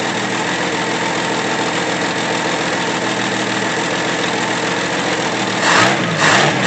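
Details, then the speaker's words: 1964 Pontiac Tempest inline-6 with a new budget carburetor, running rich, so the idle mixture screw was turned clockwise to lean it: fairly even, steady idle, some handling noise at the end. Seems better, but more road tests needed; normal idle. "I believe that's a whole lot better, but it's just going to take a few more road tests for me to really be 100% comfortable."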